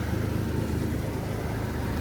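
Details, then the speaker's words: Toyota Mark X misfiring since fitting work during a compression test, hot day: low, uneven idle with a faint lumpy stumble (pak pak) under a steady drone; it is drawing in air (vacuum leak) and won't idle right until fixed. "ये आपको आवाज़ आ रही करती, ये हवा ले रही है और जब तक ये हवा ले रही है सेट नहीं होगी।"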